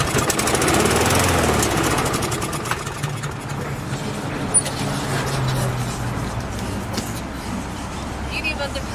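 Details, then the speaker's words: Craftsman 917.370430 mower, Briggs & Stratton engine, 60 PSI compression: catches on fuel dropped into the spark plug hole and chugs briefly, about four beats a second, then fades. Spark and compression fine; carb not feeding, jet likely clogged. "Hey, so you can tell we have enough compression to get this engine started. There's spark. It's running. This is a good sign."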